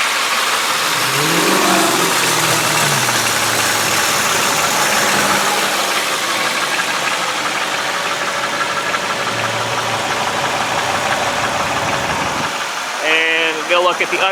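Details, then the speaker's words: 2003 Chevy Malibu sedan, automatic, 3.1 L V6, under 100,000 miles, camera set beside engine, light rev: picks up smoothly and settles to even, steady run, no knocks or rattles; engine sounds healthy, normal revving. "As you can tell, the motor, as you would expect with under 100,000 miles, sounds good, runs good. No issues there."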